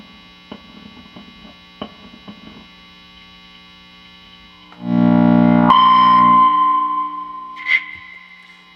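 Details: Vintage Fender Telecaster neck pickup, all grounds checked, warmed amp at full volume, before wax potting; light taps come through, then a loud howl settles into a steady high squeal; microphonic pickup.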